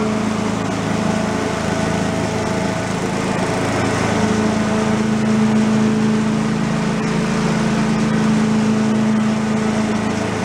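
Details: Commercial walk-behind leaf blower, repaired after carburetor problems, set on the ground for an extended run to check smoke: small two-stroke holds a steady, even buzz at constant speed with no misfires; normal running.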